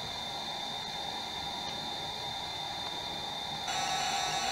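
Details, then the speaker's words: Amstrad CPC 464 tape deck (DataCorder), after repair, servicing and azimuth calibration, loading a game: a clean, steady high screech of data tones switches to a brighter screen-draw pattern with no dropouts, so the deck loads properly. "okay guys hopefully you can hear that that's the actual screen draw of the game being loaded um and the tape sounds fantastic it really does it sounds better than the the other one i have"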